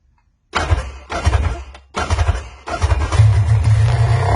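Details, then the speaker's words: Sea-Doo after a complete rebuild, following a miss and backfiring with a spring adjusted: a few short cranking bursts, then it catches and settles into a steady, even low rumble without popping; runs better. "[Music] and it runs better"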